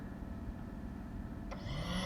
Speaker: and you can hear the small pump turned on okay so and then i could verify is pulling air in because i could feel the air being sucked in and it's being sent to the exhaust manifold to the hoses